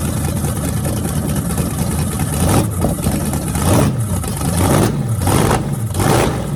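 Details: Freshly rebuilt small block Chevy 350 (355) for an OBS Chevy truck, run on an engine stand through open headers: crisp idle, then several clean revs rising and falling smoothly, no knocks or misses. Normal running.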